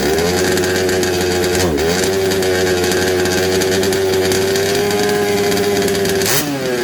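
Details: Second-hand 1/5 RC Baja two-stroke after carb and gasket swap, spark good, earlier flooding: high buzzing steady pitch that sags and recovers twice in seven seconds; uneven running, won't tune, cause not pinned down.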